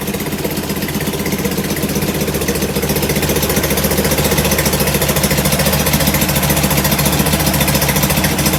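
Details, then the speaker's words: Performance air-cooled Volkswagen flat-four, first start of a fresh build with 50 psi oil pressure; busy, slightly uneven lumpy idle, no knocks; puffing black smoke, idle jet too rich. "i thought this is why it was puffing the black smoke but uh i think it's just a little too rich on the idle jet so we'll take care of that"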